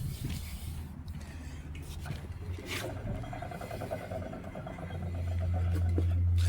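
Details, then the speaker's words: 2005 Nissan Xterra jacked up, rear wheel spun: a low, rough droning hum with a gritty undertone that swells as the wheel turns faster; worn rear wheel bearing, same sound and play on the other side. "You can just hear it grinding in there as the wheel spins."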